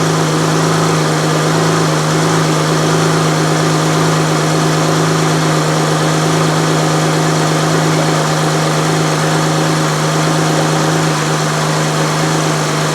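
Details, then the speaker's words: 2007 Saturn Vue 3.5L Honda V6, just after timing belt and water pump replacement, first start with the cooling system bleeding air: it starts quickly, then a steady, even idle hum and low drone with no knocks or ticks. Normal idle. "we're going to start it we going to let it bleed out corn bleed out of it cuz I'm sure there's air on it right now and see how it does good start down pretty quick"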